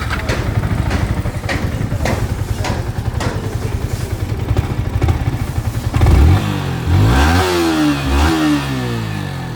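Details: Yamaha R15 V4 after engine work: even single-cylinder thump at idle, then clean throttle blips rising and falling smoothly; engine sounds healthy with no rattle.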